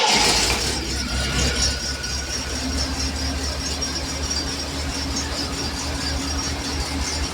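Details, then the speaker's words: 1980 Triumph TR7 at idle after plugging the vacuum port that caused a big vacuum leak: a steady, even idle with a constant low drone and no stumbling or hunting. It now runs fine. "it runs fine. Um, but now it runs fine because that vacuum port is plugged."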